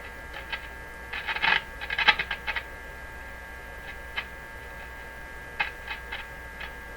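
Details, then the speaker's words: Canadian Crosley 12B tube radio, detector stage (6SQ7 replaced): irregular bursts of sharp crackling pops over a faint steady tone while tuning and lightly touching variable capacitor blades; source not found, suspects an ungrounded metal part or shaft. "That's all I'm doing. Nothing. So we get this into a crackly spot."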